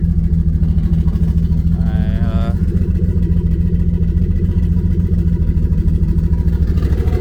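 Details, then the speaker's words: Nissan S13 on E85, after cold start, on jack stands: steady, even, slightly lumpy idle around 700–800 rpm, no knocks or ticks; fuel and oil pressure and temps good, healthy normal idle. "motor i mean the motor sounds healthy that [ __ ] i run in like a champ right now let's see what the idol is at yeah she added a nice little 700 right there 750 800 right there"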